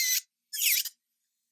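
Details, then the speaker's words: MelodySusie cordless nail drill at medium-high speed: short thin high squeaky bursts while filing, no low motor hum; noise persists even turned down to about 7–8, cause unclear. "you hear the sound is different it's squeaky like why does that sound different I don't like that sticky note that noise"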